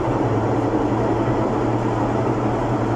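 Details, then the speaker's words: Washing machine during spin: loud steady roar with low hum, no rhythm changes; worn drum bearings and seal, with rusted parts indicating water leaking past the seal onto the transmission, which needs repair. "El problema de esta lavadora son los valeros. Sello, tina o retén."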